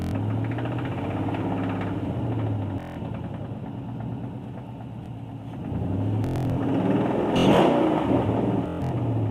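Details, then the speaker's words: 2012 Ford Mustang GT (Coyote V8), knock for about two months, car not driven since: rough clattering knock from the bottom end that gets louder with each acceleration; owner suspects rod knock, possibly lifter, unconfirmed. "Noise is coming from the bottom. Might be a rod knob. Every time I accelerate, it gets louder."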